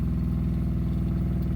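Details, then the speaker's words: Sun-Lite 16BH camper water pump running while the lines pressurize after hot water tank replacement and new PEX push-to-connect fittings: low, steady buzzing hum with a fast even pulse, no rattle or labouring; no leaks. "I hear it kicked on Tank's filling up no leaks here no leaks"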